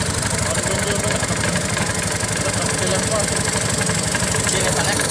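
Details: Honda Beat FI scooter idling: a coarse, uneven rattling rasp from the CVT at about three beats a second, from a worn, loose roller housing boss.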